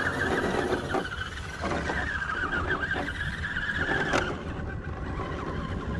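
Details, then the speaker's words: Carisma SCA-1E RC crawler on Pro-Line Hyrax tyres: a small electric motor whine rising and falling with throttle, plus a faint scuffing rub where the tyre catches the bumper. "You can hear that tiny little rub that, like I say, if I maybe notch just a tiny bit off the bumpers and make a big difference to it."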